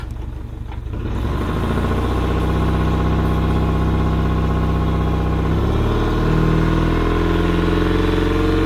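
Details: Yamaha outboard on a 1980–81 Sun Tracker pontoon, started with the choke and the fuel vent opened. It catches within a second and holds a steady idle with no misses or surging. Normal idle.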